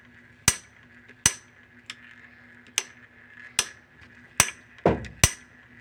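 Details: Top-load washer that takes the Whirlpool/Maytag/Kenmore W10006355 shift actuator: sharp, loud, unevenly spaced clicks, about eight in six seconds, over a faint hum. A faulty shift actuator is suspected; actuator and splutch cam are to be replaced.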